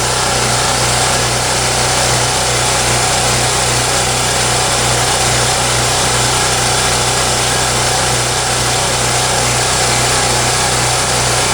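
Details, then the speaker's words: Champion generator, over 1000 hours, after a tune-up, restarted with choke on: constant even drone holding speed with no surging; idles steady and smooth, repair a success. "we're looking at to see if it's surging that looks pretty steady to me and it sounds pretty smooth so i'm gonna call this a success"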